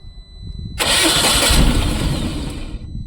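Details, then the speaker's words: Tata Ace Gold BS6 petrol pickup: the starter whirs and the engine catches roughly for about two seconds, then dies; the scan shows a cylinder 2 fault (DTC) behind the start-then-stall. "तो यहाँ पर scan करेंगे, गाड़ी start होके बंद हो रही है।"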